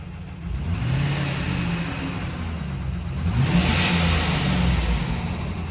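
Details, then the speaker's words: Friend's truck with rod knock on its original engine, heard from the cab: the V8 revs and settles with a rough uneven rumble and a loose knock that gets worse; a worn rod bearing. "Oh, that started sounding even more rough."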